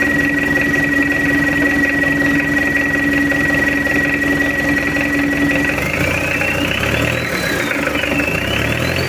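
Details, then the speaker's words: Mitsubishi L200 diesel after full engine overhaul, bench test with timing advanced, maybe slightly too far: even, steady idle clatter with no knocks or misses, engine calm, oil reaching head at normal pressure; normal idle. "oke udah hidup untuk mesinnya Alhamdulillah nggak ada kendala udah beres dan suaranya Udah adem goyang mesin pun juga tenang"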